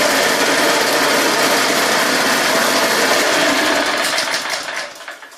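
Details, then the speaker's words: Go kart, Custom Model 1, before installing pod filter, carb jet and exhaust (stock setup): buzzy high-pitched single-cylinder note firing evenly at steady speed, then dying away; normal running. "I'll give it a start up and I'll show you what it sounds like when she's got fired up before, and we'll do one for an after."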